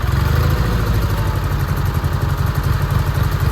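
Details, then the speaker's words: Massey Ferguson 205-4 tractor, about 3 hours runtime, unused about 2 years: small twin idles low, loping and uneven just above stalling; idle needs raising, owner suspects a possibly fouled plug. "man I love this thing idle's a little bit"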